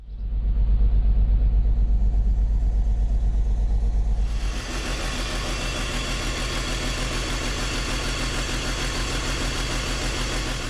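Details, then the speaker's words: BMW E53 X5 with M54 straight-six, check engine light on: lumpy, uneven idle with a deep thump about three times a second, vehicle rocking; scan shows cylinder 6 misfire. "got the check engine light on and our silky smooth straight six m54 engines idling like a 454 big block chevy with a high lift cam all vehicles rocking side to side"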